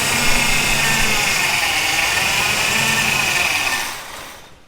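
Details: 1971 Ford F100 Bumpside barn find pulled from long-term storage, first start on fuel poured into the carburetor float bowl: catches and holds a rough, hissy steady run for about four seconds before dying down; fires on primed fuel.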